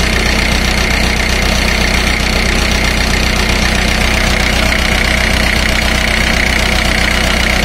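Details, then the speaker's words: Four-cylinder diesel at idle of about 928 rpm, read by a digital tachometer off a reflector on the flywheel: steady, even clatter with no misses; cylinder rpm drops are close together, and idle should be raised to about 1,500 for smooth running. "i have i should have increased the engine idle rpm to somewhere around 1 500 for smooth operation"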